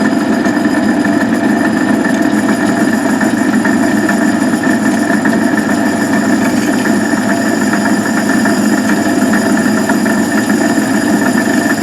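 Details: Van Wert coal stoker on Gentleman Janitor JG5 boiler, running pea-size anthracite after six days: steady rough mechanical churn with faint uneven knock over drive hum; worn, noisy gearbox.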